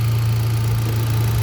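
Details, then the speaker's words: Hyundai Accent gasoline, restarted after a crank-no-start; fuel now reaching rail and injectors: steady even low hum, no knocks, misses or stumbles; smooth healthy idle. "So bastante na yung gasolina rito sa Common Rail. Going to injectors. So napakaganda."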